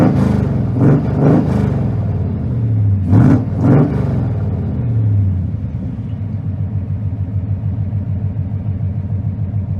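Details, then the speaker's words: V8 running on a lawn mower carburetor: two pairs of crisp blips rise and fall cleanly, then a steady, even rumble idling at about 700 RPM; it revs and idles normally. "it's almost annoying how well it runs idling at about 700 RPM or so it's just some classic Thunderhead 289 action"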